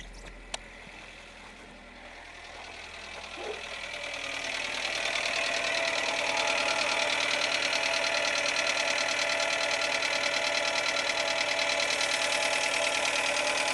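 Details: 2007 Renault Logan 1.6 8-valve engine, driven about 20,000 km with the knock: revs pick up and settle into a fast, even tapping about three per second over the running noise; engine knock, source unknown.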